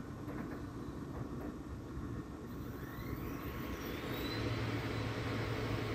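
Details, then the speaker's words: Air-cooled dual 2.7 GHz Power Mac G5 after a suspected bad CPU was swapped: fan rush builds smoothly as it powers up, with no earlier droning hum and no startup chime, but it boots. Normal boot, no humming. "didn't dawn it's also not making that weird humming noise uh huh this might be a very short video hey that's a good sign i think hey it didn't bong but it's it's booting so it's a start"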